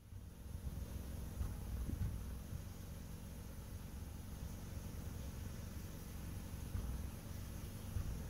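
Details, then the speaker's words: Subaru Impreza with check engine light, idling, heard from the tailpipe: deep exhaust rumble broken by random pops, idle dropping with each, worse in drive or reverse; random misfire traced to a faulty spark plug wire. "and each one of those pop pops is a misfire it's also noticeable if you look inside the tailpipe"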